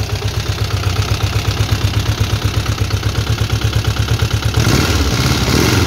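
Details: VW Beetle with Type 4 engine, first start, carburetors running rich and leaking fuel at a rocker cover: low loping idle with a clatter about three a second, rising with revs; noisy rockers, hydraulic lifters not yet adjusted.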